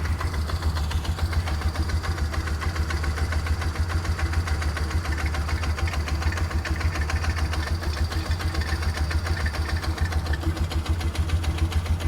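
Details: 2004 Polaris Ranger 6x6 idling smoothly with a steady, even low thump and no more knock; normal idle, though it won't take upper RPM (owner suspects carb needle set wrong).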